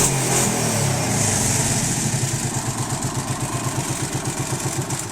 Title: Please help Arctic Cat 650 V2 making loud noise from engine